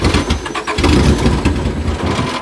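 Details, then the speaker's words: Demolition-derby Honda Accord after the derby: engine starts right up, runs rough for a couple of seconds, then cuts out abruptly, as it did in the ring; a fuel pump relay has been suggested, though he thought it was bypassed. "See, it like starts right up and then dies."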